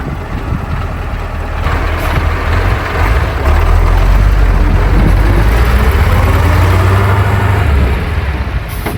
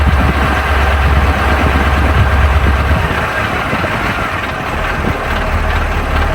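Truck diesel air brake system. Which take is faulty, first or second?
second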